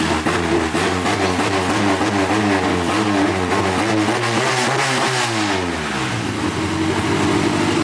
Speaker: sounds good sounds like a tractor before it still sounds a little just open but it's nice the engine sounds you don't get Ticky Tucky in the head